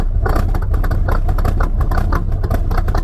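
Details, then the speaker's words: '86 Trans Am, fully rebuilt 305 small-block V8 (crank, cam, bearings, pistons), roller rocker top end, headers, Holley 650 carb, in gear under load: deep even rumble, no knocks, ticks or misses, healthy. "305, full rebuild. Crank, cam, bearings, piston, everything. Roller rocker top end. Headers. Holly 650 top."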